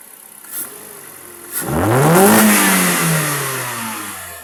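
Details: Kia, revving after MAP sensor cleaning for a rough idle; engine picks up from a steady idle, climbs cleanly in pitch and settles back smoothly with no stumble or hunting.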